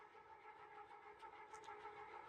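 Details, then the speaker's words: Restored gear-driven ceiling fan with a new Blender-modeled replacement gear, barely a breeze; steady loud mechanical drone, even mid-pitched gear hum, no knocks or surging: normal but loud gear drive noise. "Oh my goodness. What a noise maker."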